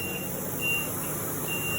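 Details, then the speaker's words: 1962 Ford F600 barn find, sat 30 years, restored with all lights working; high steady backup beeper sounding in repeated bursts over quiet engine hum; reversing beeper working. "Oh, you got all the lights working, huh? This is backup."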